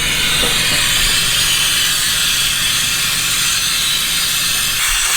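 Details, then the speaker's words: Rear-wheel-drive Honda Civic with fully built engine and new turbo, boost leak test, engine off: steady high-pitched hiss of pressurised air escaping throughout; a small leak, smaller than hoped. "do another boost leak test because what this tells me is there is a big-ass boost leak somewhere"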